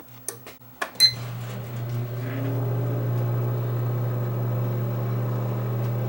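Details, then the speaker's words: Breville Smart Convection Oven that had stopped heating, switched on after repair: a few switch clicks, then a steady low electrical hum with a faint fan underneath as it gets hot; normal running. "But yeah, it's getting hot, so it's working. It's working. Excellent."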